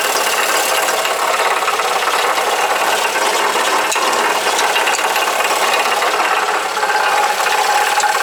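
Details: Alfa Romeo GT 2.0 JTS at idle, heard from the pit: harsh, tinny metallic rattling buzz, seemingly from inside the engine.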